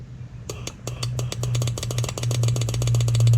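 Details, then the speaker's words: 2009 Cummins 6.7 diesel number three injector energized from battery with air pressure, listening inside injector hole: sharp regular clicks about three a second over steady low hum; injector solenoid firing normally. "here a clicking and if you listen inside the hole you can hear it clicking away"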